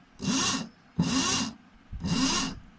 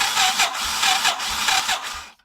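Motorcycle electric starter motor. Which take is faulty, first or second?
second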